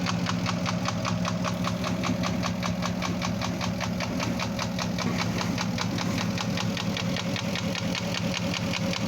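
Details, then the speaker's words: First-generation Porsche Cayenne Turbo (955) V8 at idle: sharp regular knock several times a second; suspected piston slap from cylinder bore scoring, though owner says endoscope found none; timing also considered, checking pending. "по предположению конечно это задиры но хозяин утверждает что загонял его в сервис его полностью скопировали эндоскопировали типа задиров нету но по звуку очень похож конечно на задиры"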